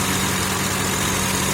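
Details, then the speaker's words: 2003 Honda Accord V6 after an engine swap (the previous engine had rod knock), at operating temperature. A smooth, even idle hum with the radiator fans running and no misfire. Normal idle. "The radiator fans are presently running, and as you can hear, runs smooth."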